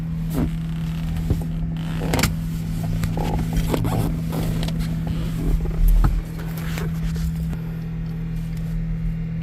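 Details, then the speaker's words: 1960s Jaguar S-Type 3.8L, right-hand drive with a 4-speed manual, untouched for about eight years; on the first start attempt its electric cooling fans run with a steady, even whir and no scraping. "that's the fans the fans are working they got better electrical than today's cars"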